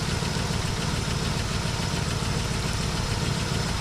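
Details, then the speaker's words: 1967 Buick GS340 V8 after water pump replacement (old one clogged with debris), cooling system flush and old replacement points fitted: smooth, steady idle with even low rumble, no misses or knocking, running cool; normal idle. "But this thing's running nice and cool now. I mean, it is just, it's running great."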